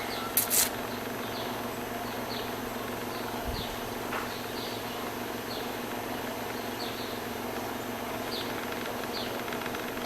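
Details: Brastemp BWG11 washing machine filling with water: steady low electrical hum with faint chirps, even throughout; buzzing noise at the water intake traced to a faulty water inlet valve.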